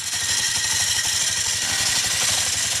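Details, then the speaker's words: Yamaha Mio Smile scooter that won't move when throttled. Revving gives a harsh, gritty rasp with a rough pulsing from the CVT belt case while the rear wheel stays still. The front pulley nut has worked loose. "Nah, ini teman-teman ya, bunyinya di CVT. Dengan keadaan bannya nggak muter ya."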